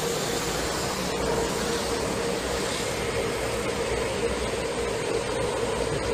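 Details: Taoyuan Airport MRT train running very slowly on curved track to reduce noise: steady rumbling run with a constant tonal hum around 460 Hz riding over it; rail corrugation noise on the curve.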